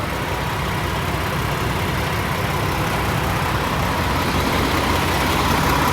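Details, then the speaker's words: Peterbilt 579 back from the dealership with fresh oil, noticeably smoother than before: steady, even diesel clatter with no misses, knocks or surging; normal idle. "she just sounds so much smoother put a brand new oil for just a smoother running truck"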